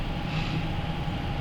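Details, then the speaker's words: Shop furnace after fan blade replacement (old blade broke, then disintegrated), heard from normal working distance: smooth even low hum, one faint constant tone, no wobble or knocking; sounds a lot quieter. "Oh boy, it sounds a lot quieter."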